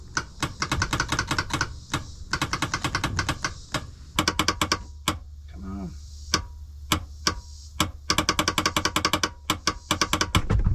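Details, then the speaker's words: 1999 Kawasaki 900 STX jet ski after piston replacement, cranking attempt on lead-acid battery: bursts of rapid sharp clicks with no cranking, engine never turns over; bad starter. "yeah I mean that sounds like flicking sound tells me um but the starter just seems to be uh not doing anything"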